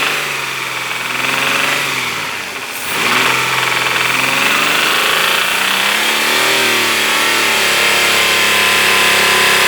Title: Стук в двигателе